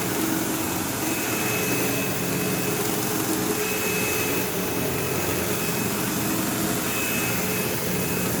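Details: 15-year-old, heavily used Sebo Automatic X5 upright vacuuming a living room: loud steady roar with harsh buzzing rattle, occasional belt-slip-like squeal; belt had tension, owner wonders if it needs a belt, brush roll vibration or play suspected, unconfirmed.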